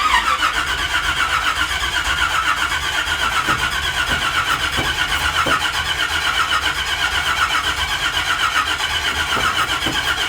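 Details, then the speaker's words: Truck project, first start attempt with fuel poured down the carburetor on a cold day: ten seconds of steady, even cranking that never fires, because the distributor had no power after being left unhooked. Crank, no start. "Did I hook the thing back up? No. Sure would be good if we had power going to the distributor if we were trying to fire it up, huh?"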